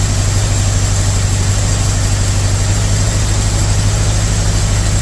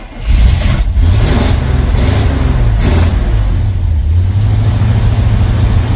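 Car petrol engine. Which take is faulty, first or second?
first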